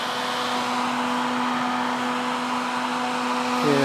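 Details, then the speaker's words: Repaired Husky Pro air compressor, once said to have rod knock, with a newly added cooling fan and cowling: a strong, steady rush of air over an even motor hum, no rattle or rubbing; normal running. "we got the fan mounted on and it's running right now you can see here the uh the cowling it's blowing lots of air lots and lots of air is coming through here"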